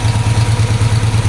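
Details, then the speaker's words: Ford 3000 gas tractor after starter solenoid replacement and battery disconnect install, just started: low chug with a lopsided beat, one pulse missing each cycle; misfire, running on two cylinders, usually clears after a minute running. "But the most important thing is our solenoid issue was taken care of. The Sounds like it's only running on 2 cylinders."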